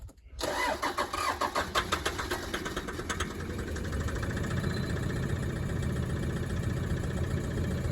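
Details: 2013 150-series Toyota Prado with D4D diesel, 320,000 km, heavy smoke: short crank, then catches into a rough, uneven idle with a hard knock underneath, won't rev up; cracked piston.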